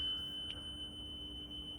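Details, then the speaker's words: Restored Nakamichi DR-10 dual-capstan cassette deck, pre-shipment check, playing a wow-and-flutter test tape: pure steady tone near 3 kHz with even pitch. Speed slightly fast, but wow and flutter is below 0.06 WRMS; normal, stable playback. "but wow and flutter is super good. It's below 0.06."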